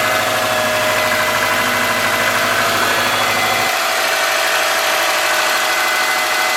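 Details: 2003 Subaru Forester, 178k miles, ~150 miles after head repair for dropped valve guide, cold busy idle: fast light ticking from driver side in time with engine; excessive exhaust valve clearance (.029 vs ~.010) driver-side front cylinder, adjusted, noise gone.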